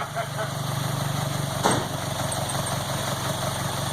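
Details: Low, even idle with a smooth steady beat and no misses or knocks on a MK2 VW GTI converted from fuel injection to four Yamaha R1 carbs, after first start and warming past cold running; normal idle.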